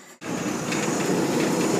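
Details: Old Maytag gas dryer after high-limit switch upgraded from 210°F to 250°F, pilot lit and burner firing: steady even rumble and whoosh of the tumbling drum, no knocks or squeals; running healthy.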